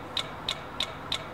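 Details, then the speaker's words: 2003 Dodge Dakota 4.7L that shuts off while driving, with troublesome aftermarket alarm: sharp dry clicks about three a second from the engine relay after key turned off; relay clicking with ignition off, likely alarm-related starting circuit fault. "then I heard this clicking while I turned the key off getting ready to go home I'm going to show you the area now you should be able to hear that clicking it's not supposed to have that clicking sound and that's coming from the engine relay"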